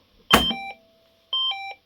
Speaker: This is acting as a, the panic button thing you push in, and you have got a key to reset it.